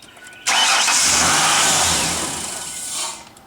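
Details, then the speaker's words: 1999 Ford Ranger XLT 4.0L, about 111,000 miles, check engine light on, about 65°F, same warm or cold: catches with a burst, then revs sag and waver, sometimes sputtering or dying; rough start and unstable idle from faulty idle air control valve. "sometimes it would sputter sometimes it would start up then die"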